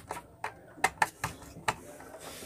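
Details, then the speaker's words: K-Vision satellite receiver with voltage drop and weak signal, power supply crackling: irregular sharp ticks, about six in under three seconds, over a quiet background; failing power supply crackling under load. "kalau kalian dengernya teman-teman for safe nya itu bunyi berderik seperti itu Jadi cukup Mengganggu ya suaranya"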